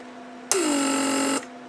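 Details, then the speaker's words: Repaired Mercedes W140 door lock (PSE) pump, trunk handle circuit: steady hum settling to even tone, clean cutoff under a second at proper pressures 0.5/0.6; no internal leaks, normal vacuum build and shutoff. "that's it it did shut down again at proper pressures point five point six very good so handle on the trunk works just fine"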